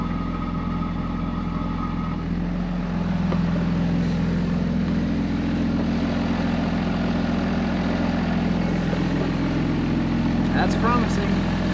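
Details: 2005 Ram 2500 diesel idling after FASS lift pump and fuel line replacement, no leaks; steady, even idle clatter without stumbles or knocks, running pretty even: healthy idle.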